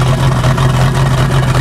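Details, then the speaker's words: Rough idle of a 1988 Crestliner's Chevy 305 V8 with OMC King Cobra drive, first run in years, not yet warmed up; deep, slightly uneven, lumpy pulse from low compression on two cylinders. "it's not awful not great sounds all right though all things considered"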